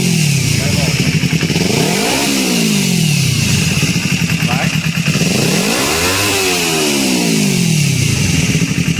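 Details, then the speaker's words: Kawasaki Ninja 250 after replacing the cam chain tensioner to cure an engine noise: two clean revs over a steady idle with no ticking or chain rattle. It runs normally after the repair. "tá tranquilo eu só não vai entregar cliente e aí galera serviço finalizado aqui a motoca ficou boa toda"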